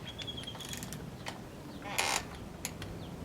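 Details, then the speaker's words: 1999 Subaru Forester 2.5L boxer engine, 170,000+ miles, during head install at the 11 ft-lb torque sequence: short squeaky creaks from a binding head bolt, warning that torque will read false, so the bolt is removed. "hear that one already creaking is that creaking yep take the bolt back out why does that bother you so much cuz you just can't get a good uh can't get a good torque when they're doing that"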